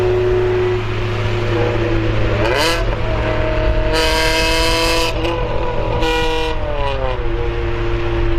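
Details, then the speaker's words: Car with an eBay Spec-D catback exhaust before the Vibrant muffler/resonator fitting, throttle blips: harsh, buzzy rasp rising and falling with revs; muffler suspected to have no packing inside, to be cut open to verify. "By the sound of it, it sounds like there's no packing inside of it."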